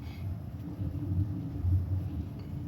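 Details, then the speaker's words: Mitsubishi Xpander, front end while driving: low steady humming drone that rises and falls with the road, with humming and vibration; worse in the morning and quieter now, noisy when going over bumps; heavy clunk reported when turning the steering wheel; cause unknown. "Ayun, oh, parang umuugong, ano? Yun pala, no? Yung parang umuugong."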